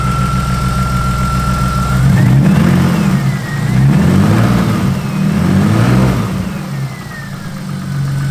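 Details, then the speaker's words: BMW E30 with freshly swapped S52 engine (bigger cam), first cold start with lots of oil put in the cylinders beforehand: deep, lumpy cold idle with a few throttle blips, even firing, no knocking; runs healthy. "came right down to an idle love it I put a lot of so I put a lot of oil in the cylinders before we started it"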